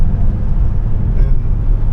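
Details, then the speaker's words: 1985 BMW 635 CSI, after rewiring and cleaned ground wires, warmed 20–30 minutes, cruising about 80: steady, even low drone with no misses or surges; normal cruise. "feels all right sounds good everything seems to be running okay same as yesterday"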